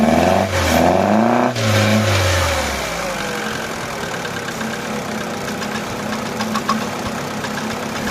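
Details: Opel/Vauxhall that had a crank-no-start problem: catches, revs briefly, then drops back to an even settled idle with no stumbling; starts and idles normally.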